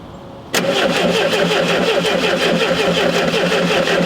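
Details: Unmolested VW Super Beetle on a cold day, after cleaning the points: steady fast cranking whir at about 220 a minute that never catches; turns over but won't fire, cause unconfirmed, condenser and points next suspected.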